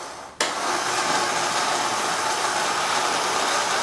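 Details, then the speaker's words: Restored Marx Big Job toy dump truck, repaired from non-working, remote-activated electric dump: the small motor kicks on abruptly and runs with a steady, even buzzing whir as the bed raises, working normally. "And then we can, of course, tell it to go ahead and activate the dump. That's all the way down."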